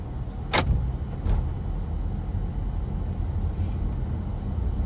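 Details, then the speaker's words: Honda CR-V, about 150,000 miles, in winter, driving after hammering a large chunk of ice loose: steady, even low road and engine rumble with no rhythmic thumping left; earlier flat-tire-like thumping appears fixed. "I know earlier in the video, you heard a little bit of that thumping, and I think we got it, y'all."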